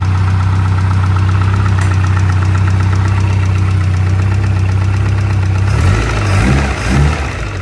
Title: Innocenti Mini Cooper 1300 with Vmaxscart Supercharger. Startup after rebuild